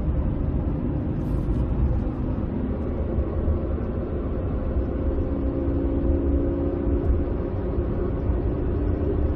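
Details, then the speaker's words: Ford truck rear differential: steady low droning hum under road rumble that softens but stays off throttle and while slowly turning, with metal-on-metal grind; a failed differential bearing. "goes away but it's still there that's how you know it's a bearing noise not just a gear noise"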